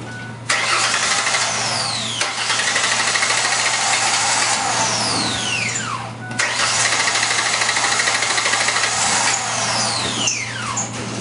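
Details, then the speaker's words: Engine started right after throttle body cleaning: cranks and catches twice, then runs ragged with sharp falling whistles as throttle body cleaner burns off; rough idle expected. "now this is how it's gonna sound it's gonna sound like a piece of junk when we crank it up"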